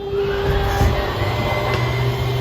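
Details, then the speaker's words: 2022 Forest River No Boundaries NB19.5 travel trailer slide-out operating: steady electric motor hum with a constant tone under load. The noise dies out once the slide is fully extended; normal operation. "here and start to go back in and this noise will die out once you get totally extended stay here to die out you're all good"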